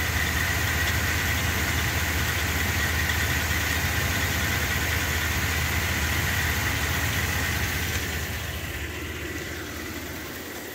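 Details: Brand-new engine idling: steady high whir over an even idle that barely changes with rpm and is faintly heard tapering off at shutdown; sounds like something spinning independently, owner asks if it is the fan.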